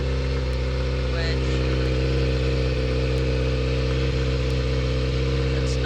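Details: Kawasaki ZX6R inline-four being rebuilt, idling after a cooling-system leak check: steady, even idle, no misses or knocks. Still smoking; owner unsure if from sitting too long or the radiator. Oil level good, no leaks found.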